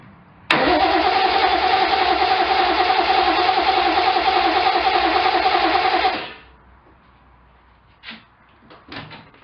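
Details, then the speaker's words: 1972 Triumph TR with fresh oil, no distributor fitted yet, in neutral and low on fuel: the engine sputters, runs rough and uneven for about six seconds, then dies; the owner suspects the empty tank. "I don't have a distributor on it yet but I just want to see how the starter sounds we're in neutral that's better already we got a splutter"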